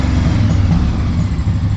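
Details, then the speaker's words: Honda PC800 after carburetor cleaning, air cleaner refitted and idle lowered, carbs not yet balanced: steady, even low rumble with no knocks, misses or hunting, normal idle and the best it has run. "She's running great. This is the best it's ran since I've had it"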